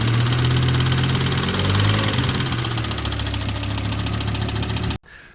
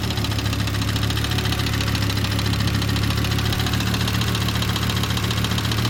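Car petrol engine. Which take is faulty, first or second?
first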